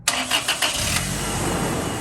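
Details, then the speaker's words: 2003 Toyota Tacoma 2.4L 2RZ-FE four-cylinder after swapping a coil pack for a new NGK one to cure a misfire: quick cranks catch into a steady, smoother idle, slight stumble remains; spark plugs look bad, tune-up due. "oh my God so much more smoother dude it's like not rough like it was earlier sounds like new now it's sounding a lot smoother"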